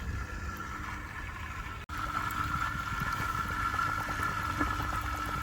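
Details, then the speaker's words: Known-good old washing machine drain pump running outside, water poured in from 2-litre bottle and lifted up a pipe, sound resonating through a bucket: steady hum with mid-pitched whine over gurgling water, even and unbroken; drain pump working normally. "So that's the characteristic sound of the pump. The pump's away down there, but it's being echoed up, it's being resonated up, the sound's being transmitted up through the pipe, and it's being resonated through the bucket, so you could hear the actual pump doing work."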